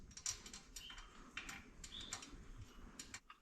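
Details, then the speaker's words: Motorcycle wheel build, spokes still loose with about 2 mm runout: light irregular metallic ticking as wheel moves, hub distance piece shifting freely because bearings aren't yet compressed by spoke tension. "That little rattling noise you can hear is the distance piece in the actual hub just moving around because there's no real tension on the on on the bearings like compressing it yet."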